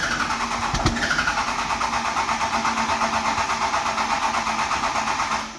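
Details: 12-valve Cummins dually, fuel pressure at zero: long steady cranking about three beats per second, never catches.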